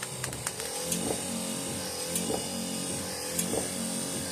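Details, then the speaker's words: 1968 Dodge Charger AWD body swap, wiper system after lubricating the wipers and refitting plastic bushing: steady motor hum with soft regular thump each sweep, about once a second; squeak gone, normal operation. "as soon as I sprayed those a little bit I sprayed that one over there too the squeak went away so now you can hear it without the torpedo heater"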